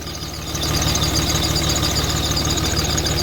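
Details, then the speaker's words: Diesel shop/hotshot truck idling after fuel rail plug leak fixed, building rail pressure: high thin squeak chirping several times a second over diesel idle clatter from a slipping accessory belt; belt squeal at idle. "oh here's squeaking again there goes the squeaky belt"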